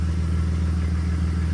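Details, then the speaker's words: Warm BMW E46 petrol engine at idle after a new camshaft position sensor, coil pack, spark plugs and rethreaded plug hole: a steady, even low rumble with no misfire stumbles. "But as you can hear, it's I don't hear any misfire hiccups at all."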